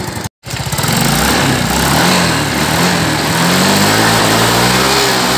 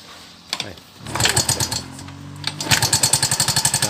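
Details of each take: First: Yamaha Mio M3 scooter that was noisy and rough at the head (suspected worn tappet/rocker or camshaft), after repair: clean, even rev that climbs and holds smoothly with no ticking or clatter from the head; engine sounds healthy. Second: Yamaha Mio M3 scooter idling rough and noisy with sharp rapid ticking from the cylinder head; rocker arm or camshaft suspected, found a worn, seized rocker arm roller; sound became smooth once fixed.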